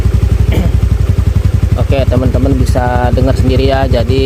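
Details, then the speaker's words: Honda Beat FI scooter with unstable, hunting idle, after spark plug replacement and a manual ECU reset: even low putter holding steady, idle now stable, though it still won't take sudden throttle. "modul satunya ini berhasil ya jadi gasnya ini udah stabil"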